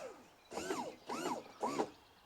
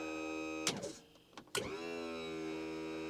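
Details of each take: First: 1976 StarCraft boat, Mercruiser 120 hp, new SEI trim pump and lift cylinders after 15–20 up/down cycles: three short squeaky, sliding whistles half a second apart; trapped air still bleeding from the trim cylinders while the pump sounds better. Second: 1976 StarCraft boat with MerCruiser 120 hp, trim pump operated from dash trim-up switch: click, steady electric motor hum for about three seconds, stops cleanly with a clunk; trim pump runs and cuts off normally.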